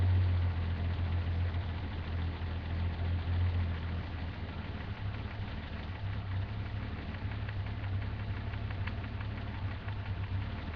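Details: BMW M30 545 turbo engine at idle: deep, steady rumble with an uneven low knock of about four beats a second; knock from inside the engine.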